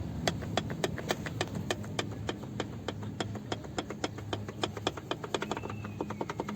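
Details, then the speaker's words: Peugeot 407, phone on rear parcel shelf, rolling slowly in first gear: sharp dry clicks about three or four a second from the rear seatbacks, the loose seat latch tongue moving up and down on its loop; before taping the loop. "так причина нашего постороннего звука сзади кроется в замках задних сидушек слушаем"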